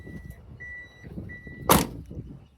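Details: Subaru Sambar TT mini truck after the warning chime was rewired to sound when headlights are left on: short high chime pulses about every 0.75 s with the lights on, door open and key in, then a door thud; working as intended.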